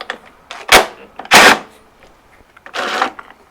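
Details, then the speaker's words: Toro Recycler mower rear wheel drive gears: short bursts of gritty crunching as the wheel turns, like rolling over a gravel driveway, with the gears clanking. Grit and a bent plate let the drive gears clash. "it's not clanking around and sounding like you're running over a gravel driveway"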